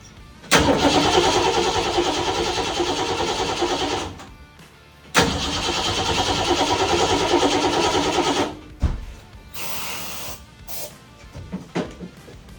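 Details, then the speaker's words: 1966 Mustang with a freshly swapped Ford 302 V8, crank no start; two long bursts of steady starter cranking at about three turns a second and the engine never catches; no spark. "Problem that we're having is the car is getting no spark."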